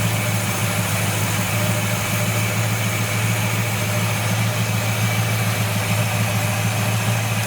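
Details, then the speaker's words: 1970 Buick Wildcat V8 with Quadrajet carburetor during tune-up, idle being adjusted and raised: steady even low idle with smooth burble, no misses or knocks; engine happier at the higher idle. "so you hear the Idol coming up yeah and I'm adjusting it yeah it's liking you it's happier with it our Idol is Raising higher now"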